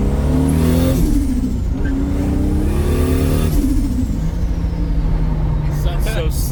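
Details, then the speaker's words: Toyota Supra MK4 with T51R mod turbo: engine revs up twice, then a whistle falls away with chattering air on each throttle lift, turbo flutter from compressor surge. "here I'm gonna give this to Sean and Sean's gonna let us hear what the turbo clutter sounds like because that thing is crazy we got a t51r mod sound with a turbo flutter"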